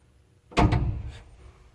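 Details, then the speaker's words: JNH Lifestyles Zero EMF far-infrared sauna, noisy after about two months of use, with panels removed for testing: a single dull thump while heating up; owner suspects a part expanding and moving violently, cause unconfirmed. "it was making noise like kind of loud and like it was like something was expanding well it was heating up"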